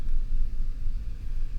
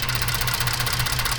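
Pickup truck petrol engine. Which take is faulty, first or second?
second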